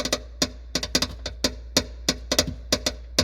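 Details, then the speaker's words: Lifan X50 trunk: sharp uneven plastic clicks about three a second, no engine; unsecured factory harness connectors for parking sensors and rear camera behind the trim rattling, fixed by tying them to the main harness. "брякает. Так что, если кто-то не может найти на своем автомобиле Lifan X50, что брякает в багажнике, в первую очередь обратите внимание на вот эти 2 разъема."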